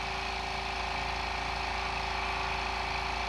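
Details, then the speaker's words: New 1 hp compressor, 8-gallon tank, first fill, warm air at outlet: steady even motor drone with quick regular pump pulse about three per second, no knocks or squeals; filling normally and quickly. "we're already up to 95 just over a hundred actually now 105 since filling up pretty quick for a one-horsepower into an 8 gallon tank"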